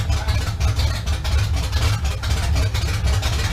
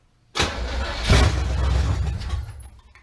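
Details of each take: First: 1971 Chevrolet Camaro V8 after sitting nine years, first start with known-good carb and fuel at the pump, car still off the ground: deep steady rumble with clean rev blips returning to idle; engine fires and runs properly. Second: 1971 Camaro that sat 9 years, known-good carburetor fitted, fuel confirmed up to the fuel pump, car still off the ground: steady cranking about four turns a second with no firing; cranks but no start, cause not confirmed.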